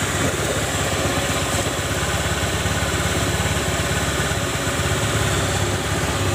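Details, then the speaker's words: Honda automatic scooter, rear CVT after the bent shaft was ground smooth to cure a rough noise at idle and on initial throttle: an even, steady idle with no grinding or rattle from the rear drive; the noise is gone. "sudah hilang ya teman-teman suaranya ya kita coba gas"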